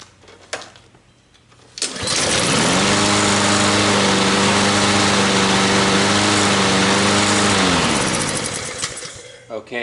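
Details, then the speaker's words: 2007 Honda engine on a Troy-Bilt self-propelled mower, cold, just after a carburetor replacement: it catches on the first pull, revs briefly, then settles into a steady, even single-cylinder run with no misses, a healthy start. "first pull and look i'm putting my hand on the exhaust to show you that it's cold yeah i didn't start it up before the video"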